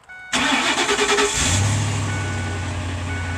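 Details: 2006 Ford Econoline E-350 that quit running, after fuel filter replacement and priming the fuel pump: a brief crank, then it catches and settles into a steady, even low idle with no misses or knocks. It starts normally.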